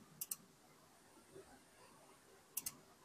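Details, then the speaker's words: Portable power station charging at 91% from an inverter: relay clicks on and off in pairs about two and a half seconds apart and the screen blinks as input protection trips on a dirty signal. "I can hear the relay once again. It's kicking on and off."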